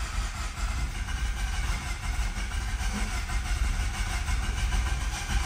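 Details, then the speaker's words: 2011 Mazda RX-8, 1.3 L naturally aspirated rotary, low compression; long even cranking drone with no firing pulses; badly flooded, no start. "Come on, you piece of rotary. This thing's flooded so bad."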